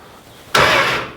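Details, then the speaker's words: 1970 Dodge Coronet 500 with a 383 big-block, cranked with the key off for the first time in about 20 years: a short, strong, even burst of the starter turning the engine with no grinding or clicking. The starter is healthy. "yeah starter sounds good we're good I think we're good there"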